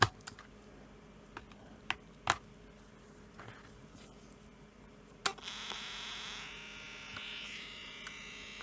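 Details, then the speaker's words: Grundig Stenorette 2050 dictation machine reassembled, on possibly flat batteries: handling clicks then thin high steady motor whir spinning freely; drive belt has come off, owner concerned about motor noise. "belt's come off. Slightly concerned at the amount of motor noise. Sounds like I've done something bad."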